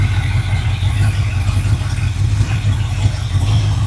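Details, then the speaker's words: ZZ4 350 crate V8 for a 1955 Ford truck, sitting since 2013, just started, about 55 lb oil pressure: deep, steady rumble at idle with an even beat and no tapping or misses, runs and sounds good. "It runs and it sounds good."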